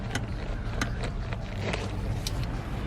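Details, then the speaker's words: 2011–2014 Hyundai Sonata steering column: sharp, irregular clicks, about eight in three seconds, as the steering wheel is turned. The cause is a worn steering wheel coupler, a common issue on these cars, fixed by replacing the cheap coupler part. "so guys here's the steering column making that noise like that"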